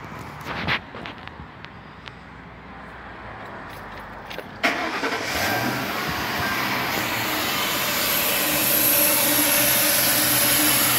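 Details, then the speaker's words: 2004 Mercury Grand Marquis 4.6 V8 with the intake removed: starts, then idles under a loud, steady high-pitched hissing screech from a vacuum leak not yet located; rough running, P0300, fuel trims at 99% on both banks. "but you can hear this vacuum leak that's why i want to get a better look i can't i haven't found the vacuum leak yet but listen to this baby it's a screecher"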